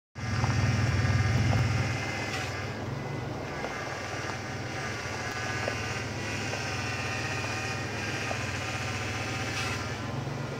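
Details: Factory 1993 Ford Explorer power steering pump, before conversion to a 1990 E-150 Saginaw pump: idling engine with steady high whine on top. Power steering pump whine.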